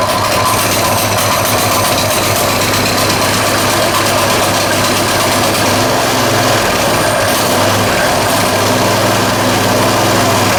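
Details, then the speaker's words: Coleman 196cc single-cylinder mini bike, customer return bought with a locked-up motor, now running; idles evenly with a steady beat and no rod knock or rattles: sounds healthy. "It sounds okay to me. Wow, I can't believe it."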